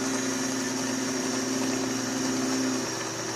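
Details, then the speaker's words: Delta Milwaukee DP220 double-head drill press, the formerly noisy head after oiling: a smooth, steady motor hum with an even whir and no squeal, rattle or grinding; the belt jumps and may need replacing. "just oiling it made it much quieter"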